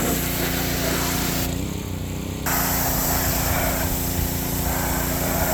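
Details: Ryobi pressure washer small single-cylinder engine after fixing lost compression, cylinder soaked with penetrating oil; steady, even drone under pump load with a brief dip, no misfire or knocking: normal running under load.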